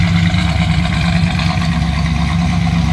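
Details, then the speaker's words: 1939 Plymouth two-door street rod, about 3,000 miles, heard from the rear; deep steady tailpipe rumble at idle, even with no misses or rattles, mildly throaty; normal street rod exhaust. "around to the back, hear that rumble. Nothing too crazy, but you'd expect a little something out of a street rod."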